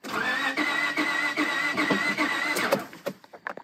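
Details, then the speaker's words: Honda Pilot, J35 V6 interference engine, first start attempt: starter spins the engine fast and even at about 150 beats a minute with no compression pulses and no catch; owner suspects broken timing belt, later confirmed. "okay so I'm thinking Time belt you don't think so no okay"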